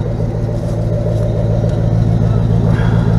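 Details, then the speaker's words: 1977 GMC Sierra K25 with a swapped 2002 Silverado 5.3L V8, 2.5-inch exhaust pipes and what are apparently Flowmaster Super 10 mufflers, driven about 3 months without issues: deep, steady V8 rumble with no ticks, rattles or leaks; normal exhaust note. "Just got 2.5-inch pipes and generic Flowmaster Super 10s. I think that's about what they are."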